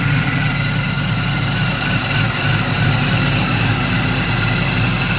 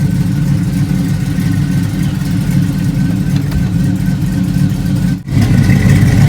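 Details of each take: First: Driveway LS V8 swap with short-tube headers and changed gears, temperature 206 and not running hot: deep, slightly lumpy V8 idle, steady with no misses or knocks; runs well, normal idle. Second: Budget LS V8 swap with short-tube headers, just fired up with new pipes: choppy, lumpy cammed idle loping about three times a second; slight exhaust leak, hard to pick out, needs exhaust shop.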